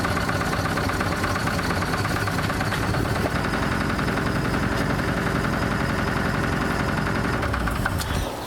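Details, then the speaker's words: 1983 Ford E350 RV V8 after start-up with oil instead of coolant in the pan, no longer smoking: rough, uneven running with a dull knock in the clatter at idle and little power; the knock's source is unclear. "Yeah, she's not even smoking anymore. Still sounds like there's a knock or something, but no smoke is good."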